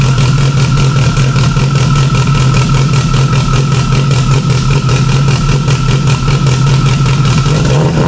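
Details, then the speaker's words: Freshly installed stock OEM Subaru EJ257 longblock in an 1100+whp STI, first start with a fuel leak under the intake manifold. It holds a loud, even, deep idle with a steady throb and no knocks or misses; sounds good for stock, normal idle. "sounds pretty good for being stck some seem need be adjusted here's a quick way to know how good it sounds motor sounds good"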